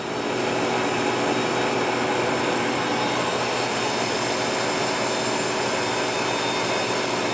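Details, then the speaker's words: Harvest Right freeze dryer (2021) vacuum pump on the lower shelf during the functional test: steady, even whir with a hiss from the open drain valve, no knocks or surging; pump running healthily. "i have the vacuum pump down here on this second shelf there's very little vibration we can hear it running"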